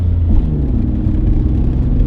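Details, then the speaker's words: Vehicle cruising: heavy steady low rumble and droning vibration rattling the whole cabin, from a driveline vibration, recorded inside the cabin. "there you go you can probably hear that but yeah so it is rattling the whole cabin"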